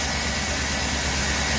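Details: GM 5.3 V8 truck at idle: a steady low idle, a little loud, with no valve-train ticking or knock. A belt chirp and a wobbling, chattering idler pulley were also noted; otherwise a healthy idle.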